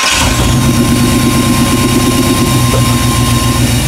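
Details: 1998 Chevy van 5.7L V8 after intake manifold removal and injector repair, with P0300 misfire and P0171/P0174 lean codes, stalling in gear: uneven stumbling idle with faint thin whistle; rough idle from a vacuum leak.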